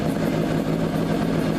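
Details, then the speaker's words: Motorcycle after clutch basket repair: steady even idle with light rattly two-stroke note, unchanged when shifted into first and back to neutral, no creep or drag; normal idle in gear. "Absolutely no problem. No creep on the bike. It goes in and out of first gear smooth as could be."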